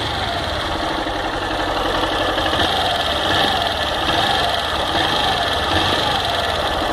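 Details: Fan 160 motorcycle with a noise in the engine. A steady single-cylinder idle carries a faint, uneven ticking rattle over the engine note, and its source isn't clear.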